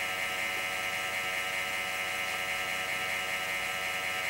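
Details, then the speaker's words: Compaq Presario SR5123WM desktop booting Windows Vista: constant high gritty whir with faint rough wobble, no letup; case fan bearing grinding, needs replacing. "Man, that noise is infuriating. If that wasn't a screw, and therefore likely to be conductive, if it happens to fall into the computer, I'd just stick it in there and get that to shut up. But... So I guess a case fan's in this thing's future."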